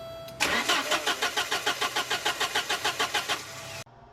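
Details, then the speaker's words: 1989 Porsche 944 2.7 with very little fuel and a fuel rail pressure of about 48 psi: the starter turns the engine over at an even chug, about three compressions a second, for three seconds, but it never fires. Cause unknown; the owner ordered a solid-state DME and fan relay. "I don't know what's wrong with it so I just ordered a solid state DME and fan relay"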